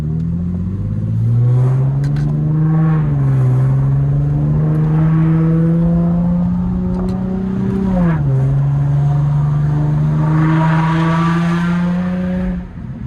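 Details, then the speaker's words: Car revving after exhaust tips installed: sharp pops and crackles on throttle, popping louder than before; owner suspects an exhaust leak, later check engine code P2A00 suspected O2 sensor. "I don't know if yall was able to tell or not, but my [ __ ] started popping more. Like, it already popped, but it sounded louder now,"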